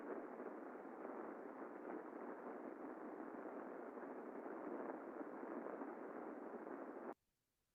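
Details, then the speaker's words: Chain drive heard through an airborne ultrasound sensor held close to the cogs: a steady rushing hiss, slightly louder than a good chain. It indicates mild friction from under-lubrication and needs some lubricant. "And a little more evidence of friction. Again, nothing too dramatic, something that can be rectified pretty quickly with a little add of lubricant here, but again, nothing dramatic."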